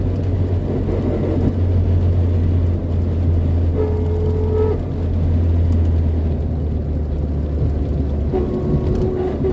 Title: 4age weird noise, anyone of you know what sound is this ?